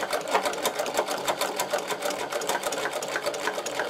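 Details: Servo-driven Podolsk sewing machine sewing leather with a roller foot, thread held for the first two stitches; steady, even clatter about three stitches a second, no knocks or snags: sewing cleanly.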